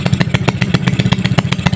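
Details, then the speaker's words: Yamaha Mio scooter, tuned build, Suzuki Satria FU starter motor (dinamo) fitted, first start with engine still cold and not yet warmed: quick even putter at about eight beats a second, low and steady; runs cleanly; normal cold idle. "Ini masih adem mesinnya ya, belum saya panaskan. Ini biar mesinnya naik dulu. Oke, sudah hidup ya bro."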